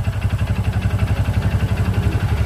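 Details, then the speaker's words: Honda Supra X 125 small bike engine at low idle, rapid even knocking from the middle of the engine, a sign of a worn connecting rod. "ini salah satu ciri-ciri stang piston yang sudah kena"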